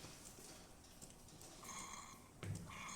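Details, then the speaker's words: DeLonghi Magnifica XS after service for brew unit jamming (broken mechanic valve replaced); steam function warming the thermal block on the machine's left side, a quiet hiss, then a steady high-pitched whistle when ready, normal. "Then we're going to turn on the steam function. It's going to slowly warm up the thermal block that you have on the left side of the machine."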